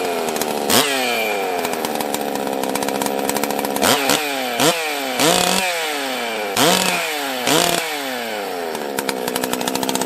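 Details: Husqvarna 44 chainsaw, carb previously seized with broken choke and stuck throttle: revs up and sags unevenly in repeated surges, never holding a steady note; erratic running, owner suspects a failing coil or carb, parts ordered.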